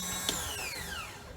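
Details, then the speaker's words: 2013 Triumph T100 Bonneville, almost 18,000 miles, no-start: starter motor spins with a high whine that falls away, no compression pulses, engine not cranked; solenoid tested good at about 12.7 V, owner suspects fault between starter and crankshaft, unconfirmed. "so it is i hope you were able to hear this looks like the starter motor is spinning but it's not cranking the engine"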